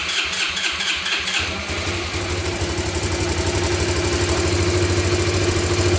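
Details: Abandoned Yamaha Breeze ATV on a cold day, started with gas poured into the carburetor and the air filter off: it cranks and catches, then runs with a loping beat and wavering speed. Rough idle; owner suspects spark plug, missing air filter, choke or air leak.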